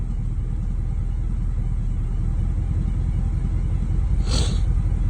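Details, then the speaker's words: 1989 Camaro cold start in cold weather after an ignition fix: idle has dropped back from the higher cold-start rpm, steady rumble with an occasional stumble, a slight misfire; owner suspects the new spark plugs were never gapped. "she does have a little tiny bit of a misfire you can probably hear"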